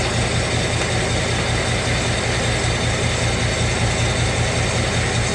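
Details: 2017 Ford Mustang 5.0 V8, 1,200 miles, ticking began after first oil change: light, slightly uneven tick about once a second over a deep steady idle; source unknown.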